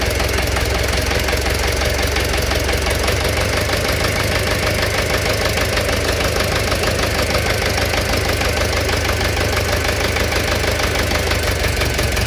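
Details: Engine knock at idle: a fast, uneven tapping of about three beats per second rides over the engine; cause unknown.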